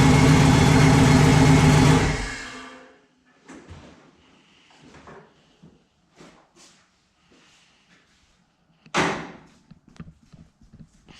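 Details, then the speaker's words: Chevrolet S10 with newly fitted transmission and Circle D converter, on E85, first drive after weeks: roar through first, second, into third, then abrupt loud bang and knocks, apparently from the rear end; cause unknown. "Well, it was just going through the gears and it made a loud bang. Just going through the gears, I went first, second, and then the third. And it was in third for a second, and then it was just a loud bang, like from the rear end or something."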